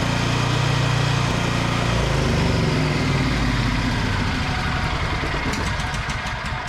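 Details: Vintage Onan Pro6000E generator with a 12.5 HP Elite 140 OHV engine, revived after sitting with varnished fuel, running unloaded: a loud, steady putter with an even beat and no knocks or misses; the engine runs healthy.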